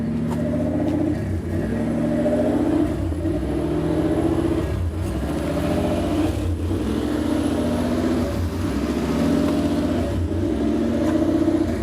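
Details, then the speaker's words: 1993 Lexus SC400 1UZ V8 idles high and won't settle, around 1800 rpm, surging between 1500 and 2000 every couple of seconds; ECU with bad capacitors suspected, finally fixed by a simple sensor. "i don't know if you guys can hear me or hear this idol but it's it's all over the place right now it's going up and down"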